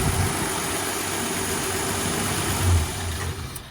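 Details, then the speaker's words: Studebaker bullet-nose Starlight Coupe, inline six with Carter carburetor, during tune-up: smooth, even idle with soft steady rumble, no misses, settling as adjustment finishes; normal idle. "inline sixcylinder with a Carter carburetor. [Music] Sounds like a six-cylinder. Not too bad."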